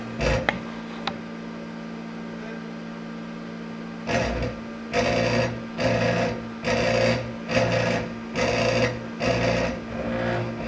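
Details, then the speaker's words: Disco scanning club light with eight stepper-driven mirrors: repeated buzzing bursts about once a second as head steps, harsh rattly edge from one noisy stepper; later traced to loose motor mounting screw. "so I have to explain exactly what's wrong with this unit as you can see this one's not indexing properly and this one's making a lot of noise when it's moving"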